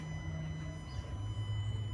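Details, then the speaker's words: 2017 Jeep Cherokee with P0688 ASD/main sense circuit fault persisting after new PCM programming, key on with wiring jumpered: low steady hum with faint high whine as the electronic throttle body motor energises; normal throttle operation. "the moto sound from there throttle and i've done everything i've programmed everything"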